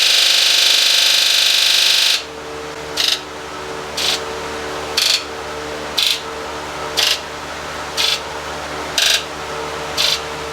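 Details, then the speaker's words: Rebuilt 7.3 Powerstroke diesel, Ford Econoline van, injector buzz test after cylinder 4 high-to-low side fault code: one long buzz of all injectors, then cylinders one through eight buzz evenly about a second apart, all matching; injectors sound normal. "so what we did right there is what you heard is it ran all the injectors at once so we're getting the same results here um that we did last time and then it went through from cylinder one through eight"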